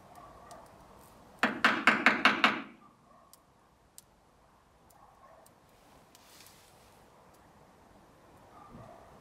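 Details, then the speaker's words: BMW E30 fuel injector stuck, bench-pulsed by wiring it to the battery to free it; short burst of about six sharp evenly spaced clicks as it tries to actuate: stuck fuel injector being freed. "Слышно, как она пытается сработать, но у нее ничего не получается. Вроде работает."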